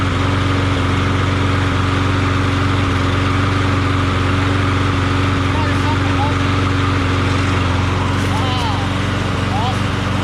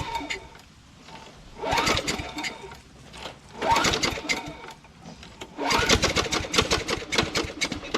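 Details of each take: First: Craftsman push mower after its badly knocking Tecumseh 6.75 Vector engine was swapped for a Briggs Quantum engine: smooth, steady drone at constant speed with no knocking or misses. Normal running. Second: Craftsman mower with 6.75 Tecumseh Vector engine knocking badly: a rough metallic clatter swelling in bursts as it revs, worse since Seafoam was added; spark plug correct and gapped, engine later swapped for a Briggs Quantum.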